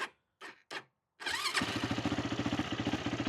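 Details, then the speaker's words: Yamaha YFZ450 quad after carburetor cleaning, float height and needle set, fuel screw out about three turns, on reserve: a few short cranks, catches at once, even thumping idle about four beats a second; carb no longer leaks. "Turns on pretty instantly."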